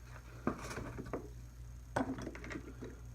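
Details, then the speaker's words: Failed SPST AC compressor clutch relay from a 2005 Honda Accord, bench-tested: coil energizes fine (draws about 0.1 A) and clicks back and forth but contacts don't close; sharp light irregular clicks, nothing switches; relay mechanically failed, pitted contacts. "so to review what's happening is this is energizing just fine and I can hear this thing clicking back and forth but it's not making contact"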